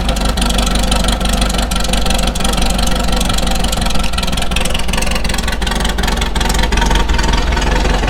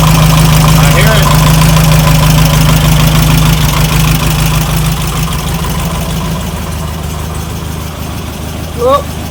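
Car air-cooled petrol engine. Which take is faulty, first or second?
second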